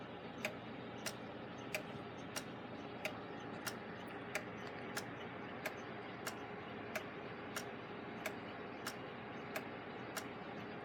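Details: Gilbert long-drop octagon clock on the wall after beat adjustment: crisp, evenly spaced ticks at a steady rate in a quiet room; in beat, with only slight phasing suspected from a possibly out-of-round escape wheel.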